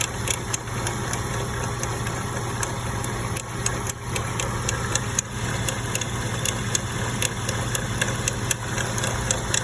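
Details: Porsche 986 Boxster petrol engine idling with a sharp, irregular clicking over a steady low hum that seems to start only once the engine is warm; cause unknown.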